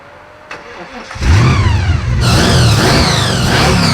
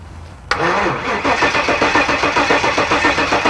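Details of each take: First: 1974 Jaguar (Draguar), after fitting new carburetor needles and seats to stop leaking: catches after a second, revs climb and fall cleanly several times, then holds steady even run with no misses. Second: 1974 Jaguar (Draguar) after parking-lot engine swap, first cranking without ignition to prime fuel to carburetors and build oil pressure: sluggish even chug about four beats a second, never fires; cranking slow.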